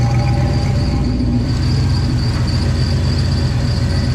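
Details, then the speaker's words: Ford Bronco idling after exhaust leak repair, loose flange bolt, not a cracked manifold; runs pretty rich at idle: smooth steady rumble, no ticking or puffing at manifold, even exhaust note; sealed and healthy. "She's pretty rich, but that's where she likes to idle."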